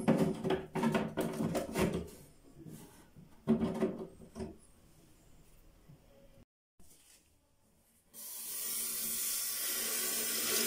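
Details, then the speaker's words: Wall-hung toilet cistern after removing and reseating black plastic flush valve seal: parts clatter, then steady even refill until float shuts water off; leak gone, fill normal. "Evet şu an için tamamen suyumuzu kesti Evet az önce ilk anda gördüğümüz gibi su sızıntısı Şu an için yok arkadaşlar suyumuz tamamen doldu şamandıramız kendini çekti"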